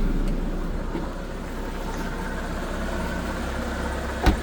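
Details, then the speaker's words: Japanese kei truck with dump bed, 38,492 km, AC running on a hot day: low steady engine hum with no knocks, misses or rattles; small engine idles smoothly. "Listen to that motor. Sounds great."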